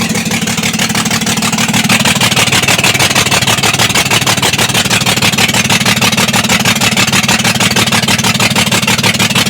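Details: BS6 2825 truck diesel clatters loudly with an uneven, lumpy beat, one cylinder misfiring from a faulty injector.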